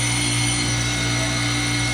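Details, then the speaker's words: Manitowoc commercial ice machine in a cafe, mid-cycle before ice drops: steady loud hum with fan rush and constant high tones, no knocks or rattles; running normally. "Pretty soon the ice is gonna drop. You hear that noise? Makes a lot of noise, right?"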